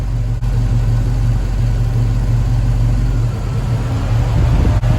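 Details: 1969 Pontiac Firebird, Pontiac 400 V8 with Holley Sniper, warm idle with IAC set near 4: steady deep idle holds even as cooling fans kick on and IAC jumps to 8, still within 2–10; no hunting or stumble.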